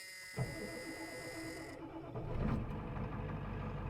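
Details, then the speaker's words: 1989 Ford F250 with 7.3 IDI diesel, not started for a week: dash buzz, short crank, catches within a second or two and settles into an even clattering idle; normal cold start. "I ain't started this thing in a week. I bet she just starts right up."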